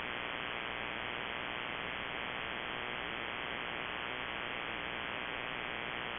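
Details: Shortwave ham receiver with steady broadband RFI hiss and faint buzzing hum swamping signals. It persists with the house main breaker off and is on a timer, stopping 7:31 pm nightly and returning mornings. Owner wonders: grow light or powerline?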